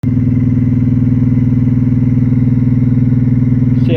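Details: Ciclotron Pop Line 350 amplifier head: loud, deep low-frequency hum throbbing about three times a second, from a failing power-supply filter capacitor; fixed by replacing the supply filter and the preamp supply filter.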